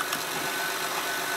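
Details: Honda Pilot with a 3.5 i-VTEC engine, started with the battery charger still connected, before unhooking the charger for an alternator test: a quiet, even idle hum under some hiss with no misses or knocks. Normal idle.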